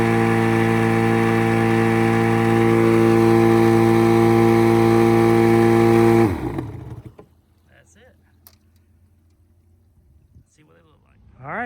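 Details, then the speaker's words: 1989 Yamaha 25hp outboard plug test on new plugs at wide open throttle: a steady high-pitched buzz, then cut with the kill switch. The hot plugs read lean, and the owner plans to adjust the mixture screw. "There you go. It looks lean. Ow, it's hot. No shit, right? It's lean."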